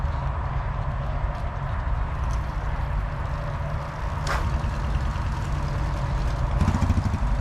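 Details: Yamaha TTR125 single-cylinder engine started after replacing a bad wiring harness and cleaning the ground connection: low rumble that wavers a little and picks up near the end; running again, tune still rough.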